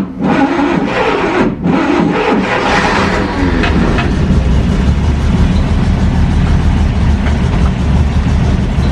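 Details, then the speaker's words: 1940 Dodge VK62B 3-ton truck, ex-RAF race car transporter, after sitting: catches and revs, then a loose, uneven idle with lumpy low beats; old fuel, choke on, owner suspects it needs to clear out. "i think it sounds like it needs to clear its lungs out a little bit the fuel is quite old"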